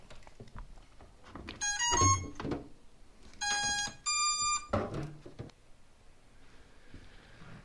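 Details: SpeedyBee 45A ESC V22 stack with 4S battery and EMAX Eco V1 2400KV motors, firmware 32.8, powered up before full-throttle amperage test: short bursts of high musical beeps in quick rising steps, then quiet; ESCs arming normally.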